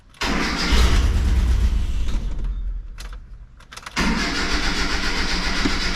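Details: 1986 Mazda B2000 2.0 after an aftermarket Weber carburetor swap and EGR delete: the engine cranks with an uneven churning rhythm, catches briefly, stumbles and dies, then cranks again; it will not keep running.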